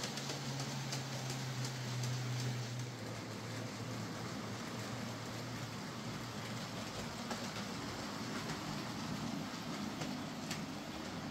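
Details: Hornby J15 model locomotive, slow and noisy since new, after a motor replacement: low motor hum fading into a quiet, even run with light rail clicks and no harsh buzz; now running a lot quieter and smoother.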